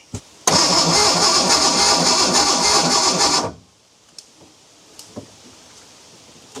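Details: Abandoned Ford Bronco II being revived: about three seconds of steady even cranking that never catches; owners suspect a fuel problem (fuel pump relay, inertia switch, possibly no gas) and plan starting fluid.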